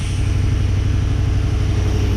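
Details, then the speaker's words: 1987 K5 Blazer small-block V8 with TBI, first start after the owner's rebuild, cold and without coolant: a deep, steady rumble with even pulses and no ticks or misses; quiet, normal idle. "oh and listen how quiet it is blows my mind so mint you know it's good for a cold engine without coolant"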